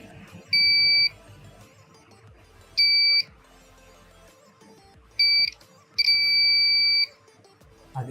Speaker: So 3 volts buzzer కూడా అయితే activate work అవుతుంది అనమాట.